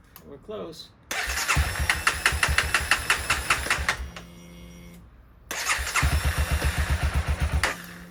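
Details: 2016 CBR300R with 1133 miles, parked 7 years, started during a coolant top-up: the starter cranks briefly, then it fires into a steady, even idle with a quick throttle blip; healthy, with the battery charging at 15.6 V.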